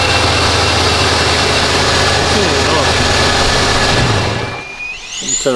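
A steady, even idle holds at a moderate pitch with no hunting or surging, then the engine is switched off; sounds healthy.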